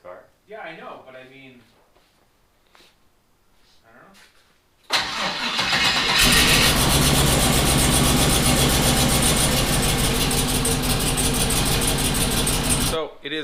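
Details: 1974 Chevrolet Nova with twin-turbo 5.3 L33 LS swap, compression 175 psi on all cylinders, plugs and wires refitted: cranks and catches, then a lumpy, stumbling idle; misfire persists, owner suspects crank sensor, not confirmed.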